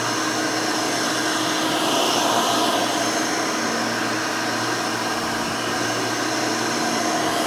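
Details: Rebuilt Hoover Elite 600 upright vacuum, built from parts of several Elites, with a new 7 amp motor and 20-blade fan in place of the original 6 amp: a smooth, constant high whir at steady pitch, with no rattles or scraping. Runs smooth and fairly quiet.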